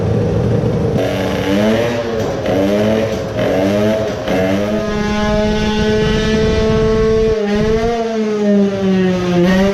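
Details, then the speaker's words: Moped two-stroke on the dyno with new pipe, new fuel at a 4% oil mix and ignition back at stock: revs climb, then stumble and cut out at high rpm; the powerjet had accidentally been left connected. "at first I forgot to disconnect the powerjet. but it didn't work. it was just shutting off"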